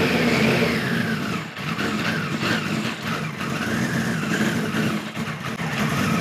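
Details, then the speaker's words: 1973 Kawasaki Z1 900 four after a float needle replacement: uneven revving with repeated sags and stumbles; points sparking heavily, owner suspects bad capacitors and an ignition fault. "this could very well be ignition cuz them them points are really sparking I don't know why they're spark him but yeah she does not want to"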